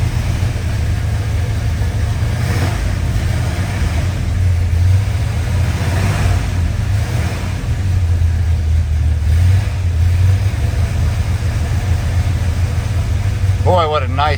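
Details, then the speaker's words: 1967 Plymouth Satellite big-block V8 at a steady loping idle with a few gentle throttle blips. It runs smooth and even; it sounds healthy. "what a nice sounding ride. That big block wants to get up and run, that's for sure."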